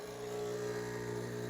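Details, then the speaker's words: Nurri R-Type HX heat-exchanger espresso machine at initial start-up: even buzzing pump hum as water runs through the group head, no stutter or rattle, normal pump operation; sizzling follows as water warms. "and we have some water coming out just to make sure that we got water up into the group head right here"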